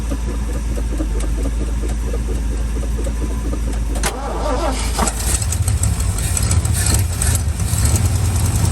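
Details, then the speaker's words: Old sentimental truck with a V8 (previously had a 306) and weak battery, starting after several seconds of cranking and settling into a deep, slightly lumpy cold idle on choke, picking up; no blue smoke. "it's a good truck listen to it friends listen to it it's starting actually to pick up see the choke"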